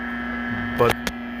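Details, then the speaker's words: 1941 Crosley 52TA AM tube radio, partly re-capped, on the bench: steady low buzz with overtones and two brief crackles under the audio, traced to nearby shop lights; switching them off makes it quieter. "then I figured out that these shitty lights I'm using all over the place in here are the real problem if I turn them off the noise changes it's a lot quieter less buzzing"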